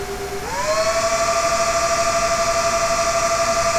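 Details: Dell CS24-SC 1U server, dual Xeon L5420, two of four 40mm San Ace fans removed, under Prime95 full load: fan hum climbs sharply and holds higher and louder; normal ramp-up.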